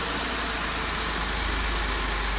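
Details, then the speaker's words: Audi S4 3.0T supercharged V6 shortly after first start following driveway bank 2 timing chain repair (P0016/P0018), WD40 burning off manifold bolts. Smooth constant low idle hum, no rattle or tapping at the front; normal idle. "burning off a bit of WD40 that I put on the uh bolts on the manifold there sounds pretty good so far I'm happy"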